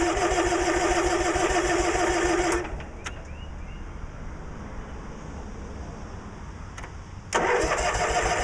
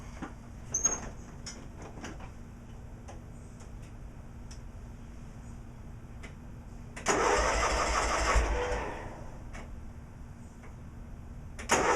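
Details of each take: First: Cub Cadet 1862 garden tractor, running premium gas with Sea Foam, low on fuel: steady rapid starter churn, pauses, cranks again but won't fire; owner suspects flooding or the seat switch, unconfirmed. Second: Cub Cadet 1862 garden tractor with original Magnum 18 engine and recently replaced PTO, pulled out of the garage: quiet stretch, then two short bursts of cranking as it catches, no knocks or grinding; normal start.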